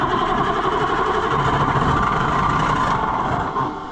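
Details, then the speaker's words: White 4-150 tractor, 3208 Caterpillar V8 diesel, wouldn't start all winter: chugs unevenly trying to fire after priming, then fades out; catches but won't keep running, owner suspects old diesel fuel. "See? Almost. But that's all it'll do. It'll almost start after I pump it up. and then nothing happens."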